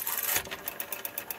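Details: Western Electric 5 rotary telephone dial that seems never to have been serviced: rapid, even ticking at about eight clicks a second as the dial returns, harsh and gritty; a rough dial return.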